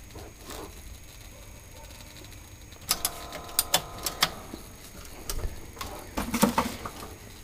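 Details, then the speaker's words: A vintage TV under repair at the flyback transformer: quiet hiss, then sharp crackles and ticks in uneven clusters. The crackle comes only when a lead is plugged in and stops when held still; might be the speaker, cause unknown. "making some sort of odd crackling noise you know you might they say life you know what that's about it's only when you plug that in"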